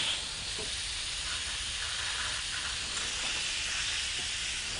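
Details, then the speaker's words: Porsche 911 Turbo 996 boost leak test, engine off, intake pressurised to about 15 psi: constant sharp air hiss; leak found at upper intercooler hose. "And see, look how it's dropping very slightly. And that's a good speed that it's coming down. Oh, I hear one already at 15."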